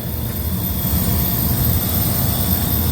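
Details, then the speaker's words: Walk-in freezer condensing-unit compressor on roof, box at 31 degrees: loud steady roar with constant high hiss, internal relief valve bypassing discharge to suction, likely from overheating caused by a plugged condenser. "and uh we're off on a bypass so it's like a pressure relief between suction and discharge inside usually because of an overheat situation"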